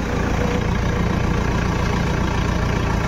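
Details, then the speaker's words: Toyota Innova at idle after power steering pump replacement (water had been found in the steering fluid), steering turned fully left and right: even, steady rumble with no whine or groan from the pump. Normal power steering, earlier noise gone. "तो guys finally जो हमारा problem था वो solve हो गया है आवाज भी बंद हो गया है कोई तरीके का आवाज नहीं है"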